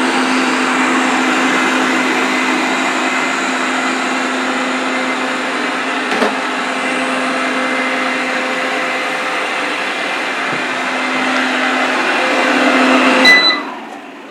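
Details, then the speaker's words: Eufy RoboVac 30C robot vacuum after its rattling suction fan was replaced with another fan: smooth, even high fan whine with no rattle or knocking, then a quick spin-down at the end; normal running after repair. "I've replaced the suction fan with another one so let's just test this and see if we have any anymore look good"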